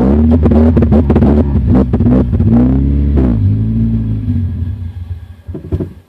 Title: 2000 Honda CR-V B20z Runs / Misfires / Stalls